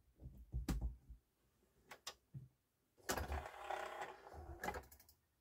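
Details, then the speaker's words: Thrift-store Yamaha CDC-625 5-disc CD changer before service, with dirt and hair inside: bursts of whirring and clicking with quiet gaps as the carousel searches all five empty slots; the mechanism sounds rough and labored. "It's looking for a desk. It was not doing this in the store. So it's going to search all 5 empty slots here."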